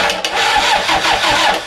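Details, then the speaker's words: Toyota Hilux YN65 with 1KZ diesel conversion, testing a rebuilt starter motor with new brushes before diesel is fed to the injector pump. Brisk, strong, even cranking with no dragging, much better than before. Normal starter cranking. "Oh, mint. Fucking sounds like a gem. So that seems to be cranking over a shitload better than it was."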